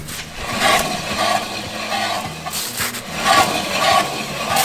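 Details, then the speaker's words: Mercedes taxi with 650,000 km, wheel turned slowly by hand: gritty, scraping rumble repeating roughly every half second with each turn, unlike a good new bearing; worn wheel bearing, both sides found bad. "im Auto war ja so ein aschenkel der sich auch nicht gut anhört hier das hört sich gut an so muss ein Radlager sein keine Geräusche hier ist ja Katastrophe"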